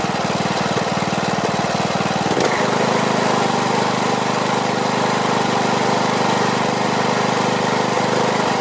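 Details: Briggs & Stratton Platinum 21hp mower engine after topping up oil, old air filter on: catches then settles into steady low thrum with slightly uneven beat; runs, owner plans carburetor cleaning and tweaking.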